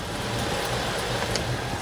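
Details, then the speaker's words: 2016 Toyota RAV4, front-wheel drive, rolling slowly in drive: a low, rough growl with no clear rhythm, heard under the spinning wheels and changing with speed; bad right front (passenger-side) wheel bearing, driver side quiet. "So, what's going on is the wheel bearing is bad on the passenger side. It's making a really bad grinding noise when you're listening to it with I don't know what you call Oh, with these s"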